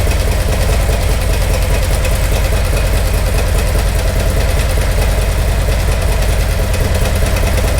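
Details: 2018 Harley-Davidson Milwaukee-Eight, 107 converted to 114 Screaming Eagle Stage 4 kit, idling: rough, loosely regular tapping knock about twice a second over heavy thump; top-end knock, mechanic suspects rear exhaust lifter or broken valve spring.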